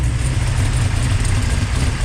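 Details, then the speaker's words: Ultima GTR with American V8, restarted; tachometer not working: deep, steady burble with even pulses, no hunting or misfire; now probably idling about where it should. "so that sounds a whole lot better probably idling where it should be although the tack doesn't work anyway"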